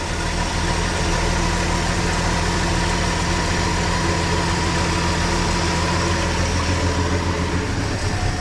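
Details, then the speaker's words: 1963 Plymouth Valiant running after sitting 18 years, oil popping from the old exhaust: steady, even idle with a low rumble and no knocks or misses; running smoothly. "all right well it sounds good"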